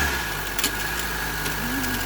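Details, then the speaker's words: Honda Civic after replacing the noisy belt tensioner bearing and idler bearing: idling smooth and steady with no squeal, chirp or rumble from the belt pulleys; the noise is gone. "Okay na, okay na. Wala na yung ingay ng kanyang tensioner bearing at idler bearing."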